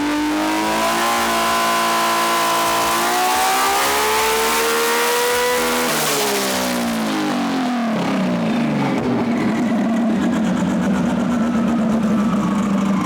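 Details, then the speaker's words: RB-engined race car being tuned, coils and settings under suspicion: climbs hard with ragged, uneven edge then falls away; number four cylinder cutting out under load, team considering swapping the coil or injector peak-hold settings. ">> Number four's off the outer again. We'll um I think we'll either swap the coil or see what he says, cuz he keeps doing something with the injector."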